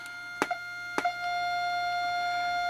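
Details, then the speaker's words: Heathkit T3 visual-aural signal tracer, 12SH7 tube stage: steady test tone with probe clicks, much quieter at the plate than at the grid, showing signal loss across the tube; low gain. "so that is nowhere near as loud as the other one there is your loss of signal right there between the grid and the plate of of the 12 sh7 there's actually a signal lost"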